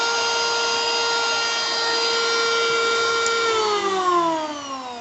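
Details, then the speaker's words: Bull BL0900 electric wood planer, 500 W, 220 V, rated 16,000 rpm no-load, brand new, running free: strong, even high whine at steady pitch, then slides smoothly down as it coasts to a stop; healthy. "Jadi memang ini produk cukup oke sih, dari segi suara juga menandakan bahwa mesin masih baru guys, dan nggak kaleng-kaleng ya."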